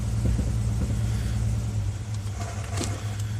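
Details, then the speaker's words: 2000 Jeep Grand Cherokee Laredo with a misfire code on cylinder 2, hard to start: low, uneven idle in gear that jumps and stumbles from a dead cylinder. The fix is shown at the number-two injector, previously repaired once. "let's short a number to misfire code on number 2 cylinder put it in gear here show you how to do it jumping you can hear it it's just jumping"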